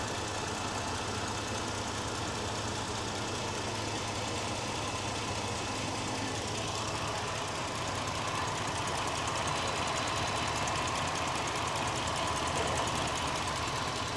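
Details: 2017 Jeep Grand Cherokee 3.6L V6 with intermittent rough idle and no codes, cam phasers already replaced without help: steady idle with dull uneven undertone and faint stumble; later bogs with P000C, scope shows exhaust cam movement, cause unconfirmed.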